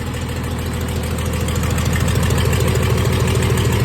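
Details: 1996 Dodge 2500 diesel running with no turbo or exhaust manifold fitted after turbo failure: deep lumpy idle, uneven beat about three pulses a second; not smooth, owner suspects injection pump setup and oversized injectors, too much fuel for available air.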